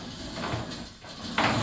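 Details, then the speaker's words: Sliding shower screen door on a triple-door system: rough, gritty, uneven scraping rumble as it rolls; worn roller wheel bearings, bottom of door also loose; before roller replacement. "It sounds like those bearings are going on it."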